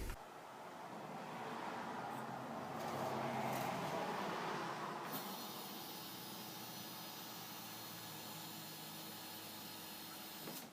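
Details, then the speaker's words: RB20DET in a 240SX S13 on an engine stand, after rewiring the harness and jumping the neutral circuit: fires right up and holds a fast, steady idle that stays high; no mass airflow sensor fitted, no vacuum leaks found, cause unconfirmed. "well it runs just [ __ ] awesome see yeah surprisingly it actually fired right up and the idol is definitely high but not having a mass airflow and I kind of looked for any vacuum leaks I can't really find anything"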